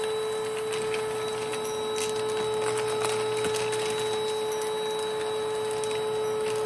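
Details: 1992 Panasonic Jet-Flo MC-9530 canister vacuum running with its power nozzle: steady high motor whine with a faint rough edge and light ticking from the nozzle; the motor bearings are worn or dry and need replacing or regreasing.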